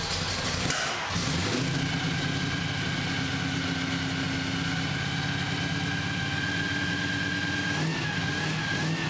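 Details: 1965 Chevy C10 with carbureted drag race 327 V8: catches after brief crank, settles into loud choppy lumpy idle with throttle blips, running strong and even; sounds healthy.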